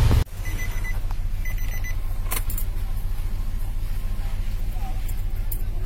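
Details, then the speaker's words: Nissan Grand Livina after replacing leaking coil protector sleeves and all ignition coils, which had caused misfire, rough running and dead coils, jump-started on a weak battery: catches at once into a smooth, even idle with no stumble or misfire; normal idle. "Hai bunyi oke tidak ada berebut sama sekali ini menandakan pekerjaan telah berhasil"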